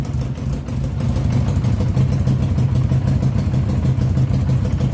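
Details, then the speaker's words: 1982 Honda GL1100 Goldwing Aspencade, sat 3 years, on fresh fuel with Marvel Mystery Oil: loud, uneven low idle pulsing about three times a second; rough flat-four idle, exhaust blowing through rust holes underneath. "Uh the owner did tell me the exhaust had some rust holes in the bottom. So it is a little bit loud, but it's idling. Not very well,"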